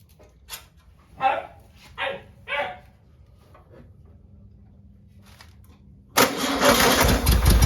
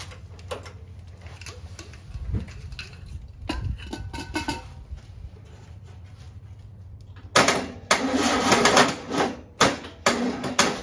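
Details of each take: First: 1959 VW original 36hp air-cooled engine, start after rebuild, second day after recharging jump box: a few barks then catches and settles into strong, even clatter with no misses; normal running. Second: 1959 VW with original 36hp engine, first start after rebuild on a weak jump box: sluggish uneven cranking with scattered clunks, then a few ragged bursts as it barely catches; slow cranking, engine barely fires.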